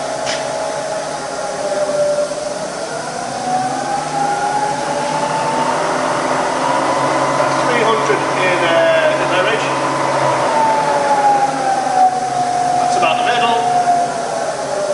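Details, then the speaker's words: Bridgeport milling machine (48" table, Vari-speed head) spindle in low range: quiet, steady even hum with no knocking or grinding; normal smooth spindle running. "That's the lowest in low range. It's about 50 RPM."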